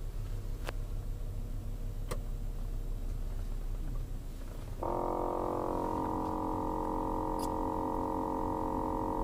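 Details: 2007 Volkswagen Jetta, front passenger side: loud, steady "brrrr" buzzing drone cutting in over the engine rumble; replacing the air filter did not help; cause unknown.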